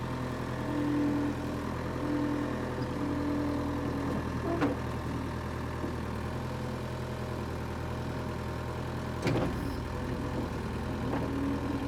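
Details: Power Trac 1850 diesel tractor after fluid changes, mower attached: steady even diesel drone holding its beat under mower load, no knocks or misses; tractor and mower ran great; normal running under load.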